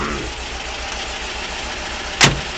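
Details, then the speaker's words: 1975 Porsche 914 with Raby-inspired 2.1L motor, just restarted after sitting 3 years on old gas: even, steady, solid idle with no misses or knocks apart from one short bump; healthy. "Nice solid. Listen to that. Nice solid."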